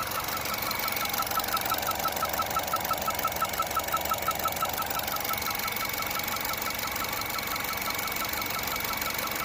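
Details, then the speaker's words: 2015 Chevy Cruze Eco LT 1.4 turbo petrol, cold start idle and revving: sharp high chirp about three times a second, lighter at low rpm once warm; cause was two loose spark plugs. "so that's a squeaking see you can hear it when I rev so usually it's when I'm idling or when I Rev 2 when it starts up"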